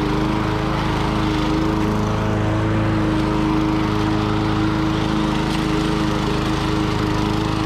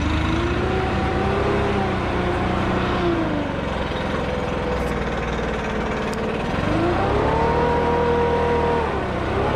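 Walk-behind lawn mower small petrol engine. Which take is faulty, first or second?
first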